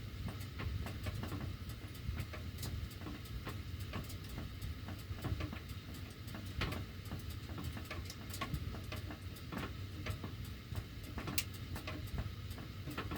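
Irregular sharp ticks and clicks scattered over a low steady air rumble while the heat runs; ducts ticking, cause not pinned down. Cause suspected, not confirmed.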